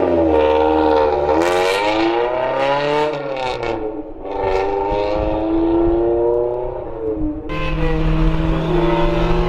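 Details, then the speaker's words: Honda CRX with an eBay Spec-D catback exhaust, before fitting a Vibrant muffler and resonator: revving four-cylinder with a harsh, raspy, tinny buzz. Loud raspy exhaust; muffler suspected to lack packing, to be cut open to verify. "By the sound of it, it sounds like there's no packing inside of it."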